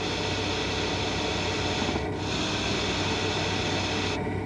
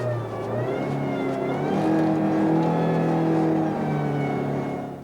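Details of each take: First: GM power steering: steady high-frequency hiss like a tire slowly deflating, most noticeable when steering with the vehicle stopped; fluid passing the rotary valve orifice edges at high speed; normal, though if very loud check hoses and lines for restrictions or internal play. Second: GM Chevrolet hydraulic power steering: a loud steady scream over a revving engine, rising and holding with rpm at high engine speed under high system pressure. It can be caused by internal pump wear.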